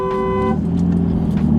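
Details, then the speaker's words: Horn blares by itself briefly over the idling car after an aftermarket steering wheel install; owner suspects a pinched horn wire behind the hub, later found and taped. "The horn kept going off by itself. Neighbor came out, was all upset."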